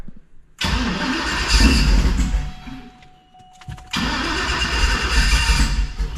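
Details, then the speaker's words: LSXcalade twin-turbo Escalade, newly rebuilt Dart block 427 V8 with CNC-ported Brodix BR7 heads, 4L80, in park: cranks, catches, stumbles, nearly dies, restarts to lumpy idle; tune needs tweaking for the new heads. "Yeah, it needs a little tweaking from the different head setup."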